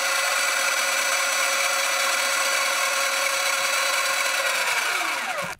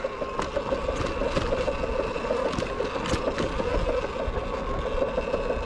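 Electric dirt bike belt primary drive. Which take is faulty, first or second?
second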